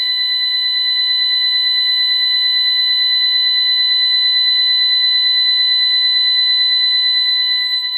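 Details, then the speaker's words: Ademco 6128 alarm keypad on a bench test, pound and 3 pressed: piercing steady high-pitched tone pulsing about three times a second without a break, the burglary panic alarm. "Then pound and 3 is the burglary panic."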